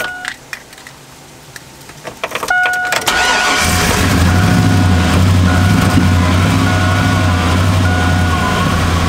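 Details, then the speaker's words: Cold 2002 Chevy Avalanche V8 restarted after sitting a month. It settles into a rough, lumpy idle with a light but not catastrophic knock. Oil pressure is present. "All right, it's idling. It sounds pretty bad. It's got some kind of knock going, but not catastrophic."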